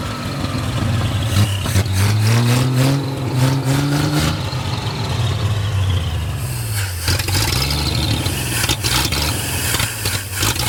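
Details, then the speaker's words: 1937 Chevy with a 250 six-cylinder that had not run in years. It first ran loud with the timing a little out. After the timing was adjusted it idles and revs cleanly through two blips, sounding even and better. "yeah it runs it sounds pretty good it's loud sounds like the timing's a little bit out but"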